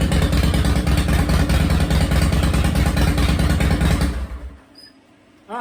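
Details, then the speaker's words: 2005 Harley-Davidson CVO Fat Boy on first start-up after replacing a stripped clutch hub, the clutch and the bearing; fires, holds a steady even lumpy beat for about four seconds, then shuts off. It shifted into gear and back to neutral, running healthy. "she fired up she shifted into gear she shifted back into neutral"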